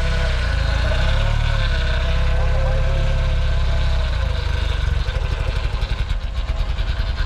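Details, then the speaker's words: 1966/1967 VW Beetle: a deep steady rumble turns lumpier and more pulsed near the end but keeps running; everything working, normal idle after long storage. "why is it still running everything's just working this is what happens to all the cars we get them running"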